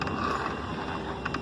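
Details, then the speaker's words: Scooter transmission: steady hum with faint whine and light clicks; suspected bearing or customer's non-original shaft, but opening showed the two gearbox gears cause the noise. "son los dos engranes que parece como Pirinola y el otro es lo que hace ese sonido Yo pensé que era un balero"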